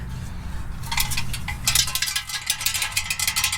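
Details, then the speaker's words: Rear muffler from a 2017 Dodge Challenger SRT Hellcat, exhaust removed, clamps tight: irregular bright metallic clinks as the can is moved, a loose hard piece rolling inside. Something is visible through a hole in the muffler and one person suspects a bullet. "Something is in there. All this is tight, right? Nothing moves. I'm holding the clamp. There's something in there."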